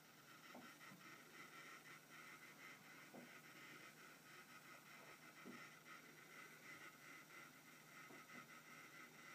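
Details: eFuel PSU30ADE power supply makes irregular rattling/clicking like an old SCSI hard drive seeking, over a faint hiss, even at idle regardless of set voltage or power; it burns 12-16W constantly, so the fan periodically blasts like a hairdryer.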